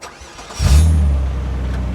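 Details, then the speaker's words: Renault Clio V6 after a roadside coil pack replacement for a failed coil causing misfire, with fault codes cleared: brief crank, then a clean catch and a smooth, even idle with no stumble or miss. "that sounds right we just did a thing we did a thing we did a thing you did a thing mechanical and it went well right"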